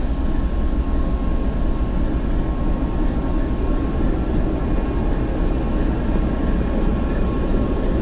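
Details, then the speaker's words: TEP70 0237 diesel locomotive V16 engine, start after repair, not yet warm after 2-3 minutes running, compressor off: deep, steady rumble with an even beat and no knocks or misses, almost no smoke; normal idle. "Ну, дизель еще не нагрелся, он поработал у нас 2-3 минуты. Ну и дыма практически нет после ремонта. Работает как тихо. Красиво."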